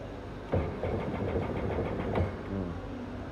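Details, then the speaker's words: Sea-Doo GTX 300 with a no-crank/no-start fault, after a pin repair restored cranking: starter whirs and engine turns over in short bursts but never catches; cranks but no start, computer scan then pending. "May ano na, nagka-crank na siya pero hindi pa rin siya umaandar."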